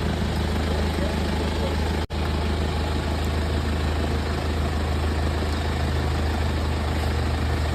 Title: BMW Z4 | Misfire Ignition Coil Replacement